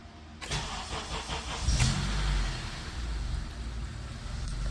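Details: 2nd-gen Honda CR-V started after replacing the oxygen sensor and exhaust resonator pipe for code P0135, with the battery having been disconnected: quick crank, clean fire, smooth steady low hum, no misses; no codes currently.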